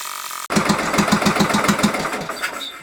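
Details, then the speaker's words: Craftsman LT1000 lawn tractor with freshly swapped replacement single-cylinder engine, first start after install with choke and fuel solenoid clicking: starter whirs briefly, fires right up, idle set slightly low then tweaked, settling into a quick, even putter without misfire; normal running. "nice doesn't run too bad fired right up"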